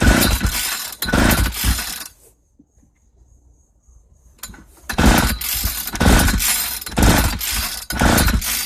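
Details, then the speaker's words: 1995 Ardisam 8900 auger (Earthquake/Eskimo), about 20 years old, with new spark plug, ignition on, full choke, no primer bulb: repeated rope-pull whirs in bursts, but the two-stroke cranks without starting; fuel system problem suspected. "It's not wanting to fire on its own. Let me see if I can encourage things. There seems to be a problem with the fuel system."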